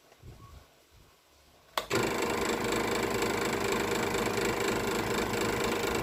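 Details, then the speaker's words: Electric scroll saw cutting wood after a fix to stop the workpiece slapping the steel plate: an even, fast buzz from the machine only, with no slapping. "ฮะโอเคตัวนะครับแทบจะไม่ได้ยินเสียงอ่าตัวไม้กระทบกับแผ่นเหล็กเลยแต่มันจะไม่ได้ยินเสียงดังเลยนะครับอ่าจ๋าได้ยินแค่เสียงเครื่องนะครับ"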